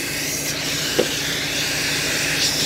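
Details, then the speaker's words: Volvo G88 diesel truck, engine running: loud steady hiss of escaping compressed air where straight air is temporarily hooked to the power-divider lock diaphragm, over a low engine rumble. "so it's going to leak and make a noise but I'm just going to hook that straight air straight to that that diaphragm"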